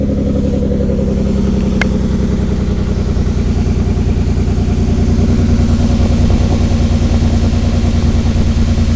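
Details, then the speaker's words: 2003 Ford Escape petrol engine at idle with a misfire: uneven, lumpy beat and a sharp click as coils are unplugged one by one; one coil unplug drops the idle (that cylinder is working), while others give no change; no codes for the rear coils. "No real change. See this one? That was a change. You hear the difference in the idle. Idle's down."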